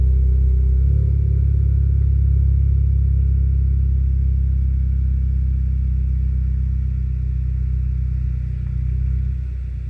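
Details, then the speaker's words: Car with 7-speed DSG DQ200 gearbox after new clutch install, during basic-setting adaptation, downpipe with no silencers: deep loud steady exhaust idle that changes and dips as it tries engaging gears; normal idle during gearbox adaptation. "You can hear the idling changing a bit, and it's trying to engage gears. It's trying to check, make sure that everything is okay."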